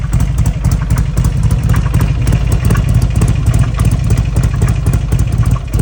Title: XB12s making a weird noise